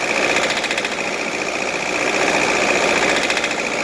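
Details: D24 diesel, which is also smoking: loud, clattery run with an erratic, sharp knock of about four beats a second. Cause unknown.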